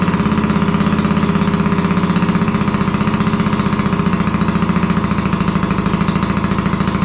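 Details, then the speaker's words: Custom Royal Enfield bobber running for the first time off the bench: steady single-cylinder thump at idle with an uneven popping edge to each beat; it runs but is slightly poppy and needs adjusting to smooth out. "hey foreign at least we've got life that's good everything sounds sweet it's a little bit Poppy so I reckon I'm gonna have a few few adjustments now a bit of messing about let's see if we can get that a bit smoother"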